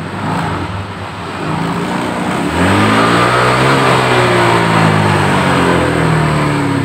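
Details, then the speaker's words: Honda Vario 125 scooter complaining of power loss, engine running: revs climb sharply then hang ragged at full throttle instead of pulling cleanly; misbehaves at wide-open throttle. "oke mas bro kondisinya motor ini yaitu gasnya mentok itu dia malah ngaco"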